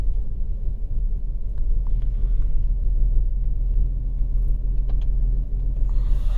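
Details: 2008 Volkswagen Passat 3.6 GDI with codes P0087 (fuel rail pressure too low) and P2296 (fuel pressure regulator valve N276 short to plus): deep, uneven rumble with irregular stumbles, a rough misfiring idle from low fuel pressure; extended crank, many dash lights on.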